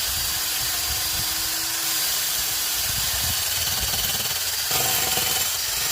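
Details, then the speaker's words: 2006 Honda Accord idling, a strong airy hiss over a weak, uneven low rumble from a bad leak in the rusty exhaust, before it was cleaned and patched with a flux-core MIG welder. "This Honda's got pretty bad exhaust leak. Clean it up and just weld it up."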